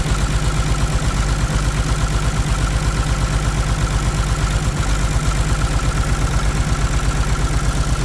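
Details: Caterpillar C13 diesel idling with the valve cover off while injectors are cut one at a time, numbers two and three, to find the dead cylinder. Steady low thudding, about 167 beats a minute; heavy smoke. Misfire cause suspected, not confirmed.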